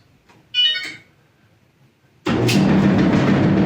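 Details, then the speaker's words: Electrolux front-load dryer: a beep, then a heavy, rapid thumping rumble from the drum at startup, which began suddenly with a load in it; something stuck in the motor or rollers is suspected, not confirmed. "see that loud kind of thumbing rumbling noise that's not normal that means there's something wrong"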